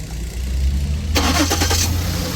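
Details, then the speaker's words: 2009 Lincoln MKX that cranked but would not start, with no codes and engine speed and crank rotation reading 0 in live data; after the faulty crank sensor was addressed it cranks briefly, catches at once and settles into a steady, even idle. "माशाल्लाह बिल्कुल ready हो गया है। ये छोटा चीज की वजह से गाड़ी स्टार्ट नहीं हो रही।"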